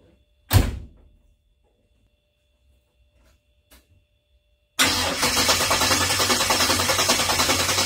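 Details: 1970–72 Chevelle with Holley 4-barrel carburetor, after float pan gasket and diaphragm replaced for a fuel leak, started with a dose of starting fluid: one short crank, a pause, then it catches and settles into a fast, steady idle.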